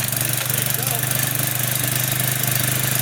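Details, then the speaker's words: Used consumer pressure washer small single-cylinder engine with fresh oil, pump loaded with water connected: steady even pull with clean regular firing, no misses; normal running under load. "Okay, put water on it. There you go. Yeah, and fresh oil really helps."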